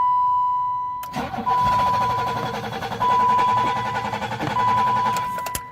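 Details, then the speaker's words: 1986 BMW 325, 2.7 straight-six, electric fuel pump, first start attempt in weeks with about a gallon of fresh gas; starter churns steadily for seconds with warning chime but never fires; owner suspects fuel still priming or lost spark. "it's probably gonna take a minute to prime up if we're honest start to slow down come on now"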